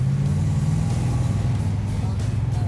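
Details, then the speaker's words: 1970 Plymouth Superbird V8 after dead-to-live restoration, on 98-octane fuel, first road drive held in low gear; deep steady rumble pulling evenly with no misses or knocks, running good. "That's right. Oh, she's running good."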